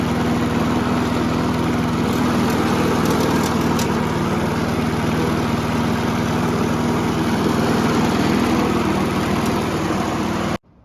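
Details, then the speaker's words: Old Briggs & Stratton mower after carburetor diaphragm replacement, running at steady speed: light metallic rattle on top; a loose piece at the front is hitting the blade, not the pull start. "Yeah, it didn't really make it clear there, but obviously that loose piece in the front is hitting the blade, and that's what's causing that sound. It's not in the pull start."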